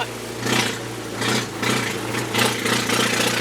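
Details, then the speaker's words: 1999 Mazda B2500 with restored 1999 Ford Ranger 2.5L engine, test drive; deep steady burble with loud raspy exhaust pulses from a glass pack muffler that just ends under the truck, not pointing out; owners smelled fuel, running rich; loud exhaust. "see it's just that loud mug hey you know why it's so loud because it doesn't point out of the truck oh really it just stuck underneath there"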